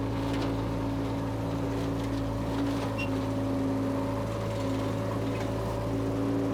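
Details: Power Trac 1850 diesel tractor with the mower on, after all fluids were changed. Steady low diesel drone with an even tone and no knocks or surges under the mower's load. Normal running.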